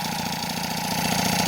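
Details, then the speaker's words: Rebuilt 70cc Transval T3/T5 moped two-stroke engine after about 10 minutes break-in on the stand: fast even putter at one steady speed, no rising or falling revs; healthy stable idle, no air leak. "bon voilà là j'ai laissé roder bien 10 minutes sur la béquille tranquillement moteur il est stable il y a pas de descend de régime monté de régime voilà"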